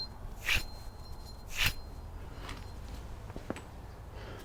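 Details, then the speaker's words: Worn front wheel hub bearing from a 2012 Subaru SH Forester XT, removed and spun by hand: a dry, gritty rumble with a couple of handling knocks. Rough bearing, replaced. "As you can hear, this one's sounding pretty rough. So, time to get a new one in."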